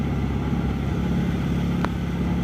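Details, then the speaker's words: Mahindra Supro diesel idling with a steady low clatter and faint uneven ticking; abnormal idle noise that the owner attributes to the injectors or the injector pressure system, with opening the injectors as the planned fix. "ना ज्यादातर क्या होता है ना वो injector से होता है"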